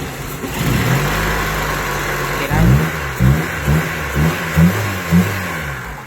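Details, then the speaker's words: Honda Civic EF with freshly fitted D17A VTEC engine, E20/91/95 petrol, idle low (under 500 rpm) needing adjustment: engine blipped from idle, revs rise and fall cleanly, no connecting-rod knock or white smoke; normal revving. "ปกตินะครับก้านชาร์จไม่ได้ดังนะครับคันขาวไม่มีนะครับเดี๋ยวผมไปตั้งรอบใหม่ครับไม่มีคันขาวนะครับรถอาดตาเร่งปกตินะครับเหยียบพุ่งๆเลยนะครับ"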